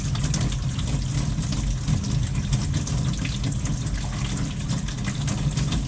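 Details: After fitting a valve washer at the kitchen faucet to cure water hammer that sounded like it came from the combi boiler: smooth, steady rush of water with no banging; flow is normal.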